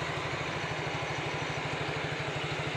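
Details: Yamaha Mio GT scooter after the CVT roller-housing slider gap was shimmed: even, regular low putter at idle with no rattle from the transmission side.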